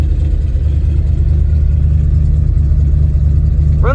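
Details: 1990 Ford F-150 302 V8, 5-speed, coolant just refilled and burping: deep steady idle rumble with clutch held in, no ticks, rattles or whine; sounds healthy.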